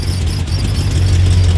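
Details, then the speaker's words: Lifted 2000 BMW 740i (E38) V8 after fixes, following earlier vacuum leaks and battery trouble: a deep, smooth, steady idle burble with no misses or knocks. It started well, sounds healthy and drives. "oh dude that started great yeah it sounds good now oh and it drives look at this thing"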